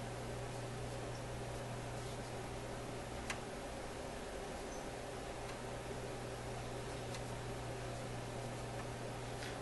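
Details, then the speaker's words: Newcomb TR-1656-M tube record player amplifier at high volume, troubleshooting a rushing noise, suspect tube removed: low steady hum, faint hiss, odd tick, no rushing sound, so noise is ahead of or in that tube. "pretty quiet now that sound didn't come on right away the last time okay we'll check it again here no sound like that so the sound is either ahead of this tube or it is the tube itself"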